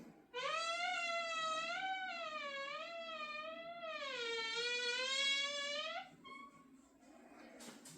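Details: Door opened slowly gives a long, wavering squeal from a dry hinge, metal-on-metal contact with poor lubrication; opening quickly avoids the squeak.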